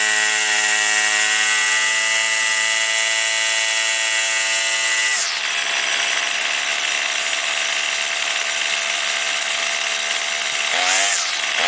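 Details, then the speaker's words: Warmed-up two-stroke weed trimmer, string out to cut line for load, holds a high buzzing tone then drops abruptly into rough running as the carburetor mixture screw reaches its lean or rich bogging limit. "you want to do the low side first and when it's warmed up you start it let it idle and turn it clockwise until it starts bogging down a little bit and then turn it counterclockwise until it starts bogging down a little bit and then you want to set it in the middle where it's running at the highest and smoothest rpms"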